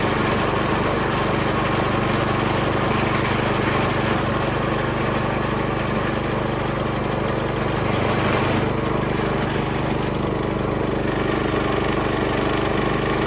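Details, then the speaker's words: Small single-cylinder engine on vintage gold trommel after starter clutch fix and air leak sealed; high fairly steady buzz with slight pulsing, pump spinning fast yet hardly pumping water; pump running too fast, low flow. "I got it spinning pretty fast and it's hardly pumping any water. So I think speed, as far as the oscillation, the faster it goes, the worse it gets. So now I'm gonna try slowing it down. Because going faster is clearly worse. I'm getting less flow."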